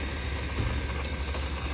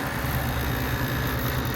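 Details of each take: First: Refrigeration unit whose compressor struggles and vents through its high-pressure internal bypass: a steady loud hiss over a labouring hum. The condenser fan motor is not running, with its fan blade broken off and the assembly stuck. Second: Refrigeration unit after replacing a failed fan motor, compressor suspected of tripping on thermal overload: steady low hum with smooth fan whir, no knocks; compressor pumping, high suction pressure at start under heavy load, clear sight glass.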